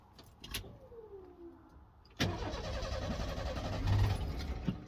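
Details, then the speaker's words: 1991 Ford F-150, restart after first getting it running with starting fluid and adding antifreeze; quiet, then engine catches at once, short rev, settles to steady idle, "runs like a dream". "uh runs like a dream look"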